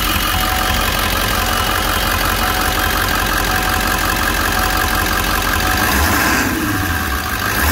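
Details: 2002 Ford 7.3 Powerstroke diesel in a van, 177,981 miles, engine #114: loud steady diesel clatter at idle with even rhythm, no miss or knock; runs like a dream.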